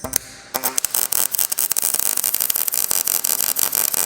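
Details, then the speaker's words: MIG welding oil drill pipe with wire speed turned down: steady crackle of short fast pops after a brief start; normal hot, penetrating MIG weld arc. "I'm going to turn my wire speed down a little bit to get that hot melty sound again."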